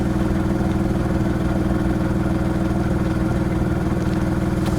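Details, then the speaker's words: VW Polo Mk4 1.2 manual: loud, raw idle with a rough, puffing low rumble from underneath, a huge exhaust leak dumping out from below the car. "main one being a huge exhaust leak so if I prop you guys there while I start the car you can hear the exhaust is pretty much dumping from down"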